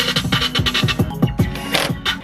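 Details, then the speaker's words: 2012 Honda CR-V passenger-side door speaker, newly installed Pioneer replacing one that made funny noises, played before screwing in the panel; clean full music, crisp beats, solid bass, no buzz or rattle: normal speaker playback. "While we were playing the rear, we were also playing the front, so we've made sure that both speakers now sound wonderful."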